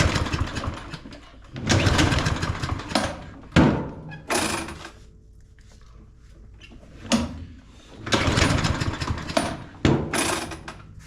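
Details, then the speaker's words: Craftsman M230 push mower that became hard to start, smoked, and barely stayed running. Repeated pull-cord bursts turn it over freely but it never catches; the spark tester flashes low, so spark is present but weak. "So it is flashing low. What that means on this, with it flashing low on our spark tester, is that it is getting spark, but the spark is weak."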